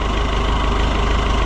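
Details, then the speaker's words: Oliver 1365 (Fiat 640) diesel tractor running after the fuel filter leak repair, with no fuel leak and a jump pack reading 17.9 V; a water pump drip is seen. Steady, deep, even diesel idle: normal idle. "Well, it's running and it's not leaking."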